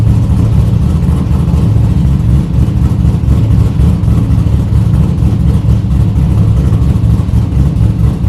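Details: 1972 Buick Skylark with stock 5.3 V8 and cam, O2 sensor pending replacement: deep V8 rumble with lumpy cam lope staying steady through revving; runs strong and healthy.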